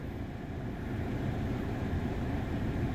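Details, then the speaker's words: Audi A4 (B6/B7) engine running evenly after a misfire repair with new Bosch coils and NGK plugs. It had misfired at idle and badly under load. Fuel trims are good after a test drive, and the misfire is fixed. "so I don't see any issues here so it looks like the vehicle's repaired"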